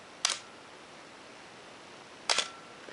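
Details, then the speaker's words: Canon AE-1 Program 35mm SLR (1981), fired at 2 s: two crisp clicks about two seconds apart, opening and closing cleanly with no drag or stutter; shutter working very nicely. "we're seeing straight through to the pressure plate inside the camera and I release and that's done so the shutter on this camera is working very nicely"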